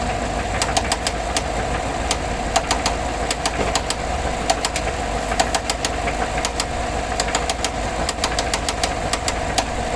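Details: 2014 GMC Sierra 6.2 V8, 100k miles, idling with sharp, uneven metallic knocks and ticks over a steady hum; shut off cruising at 45 mph after a rear-end collision that hit the exhaust; white exhaust smoke, oil pressure steady 40 psi; owner asks spun bearing or something else.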